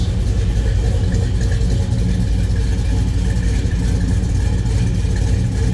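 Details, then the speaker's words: 1971 Chevrolet Chevelle Malibu, 383 stroker V8, automatic, just after a cold start and warming up: loud, lumpy, low burble with an uneven, throaty pulse; normal V8 idle. "Was a cold start. Wouldn't expect that temp gauge to be up. I'll warm up just a tad bit here. Again, 383 stroker."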